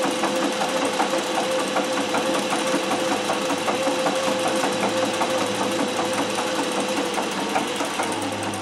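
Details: Singer 411G on a treadle with a custom heavy balance wheel, sewing built-in decorative stitches such as the pyramid stitch. Quick, fairly even ticking at two to three per second with a light steady hum; normal healthy running.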